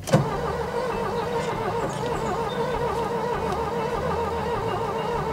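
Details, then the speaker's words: Green Ford Taunus parked since 1995 (29 years), start attempt with carburettor fed and brake cleaner sprayed: starter cranks at a steady rhythm but the engine never fires; crank, no-start. "ça ne va toujours pas décidément celle-ci elle se bat pour rester morte"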